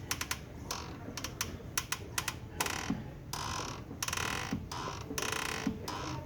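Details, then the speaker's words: VW Voyage (same fix applies to Gol, Fox, Saveiro G5/G6): stiff clutch pedal with sharp dry clicks and drawn-out creaking rasps on each pedal stroke; noise seems to come from the pedal but is the clutch actuator, dried out inside from age. Car drives and shifts fine; actuator to be replaced. "mas na moral das vezes é aqui esse esse atuador pelo tempo de uso aí né pessoal ele vai ressecando por dentro aí e vai danificando e ficando com esse barulho e dura e o pedal da embreagem aqui"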